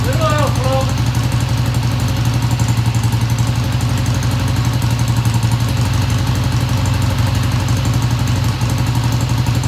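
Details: 1971 Triumph T120 twin, first cold start after cleaning pilot jets: quick start settling into a steady, even, lumpy low idle with no knocks or ticking; idle fast at first then kicked down, sounds good.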